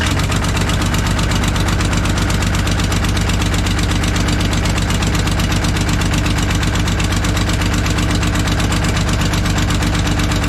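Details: Kobelco SK250 excavator, believed 2006, diesel, before repair: sharp regular puffing tick on the idle at firing rate, sounding like a missing cylinder; exhaust manifold leak, manifold to be replaced with new gaskets.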